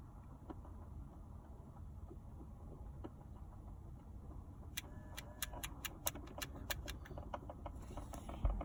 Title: Volkswagen Golf mk 5 ticking noise behind dash???